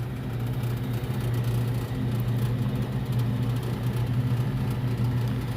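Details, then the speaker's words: Older Lennox rooftop unit tripping breaker, compressor one disconnected: low steady blower drone with irregular soft slapping about once a second; loose blower belt flapping, to be tightened. "and here our blower you hear the belt flopping around to tighten that up in a little bit here"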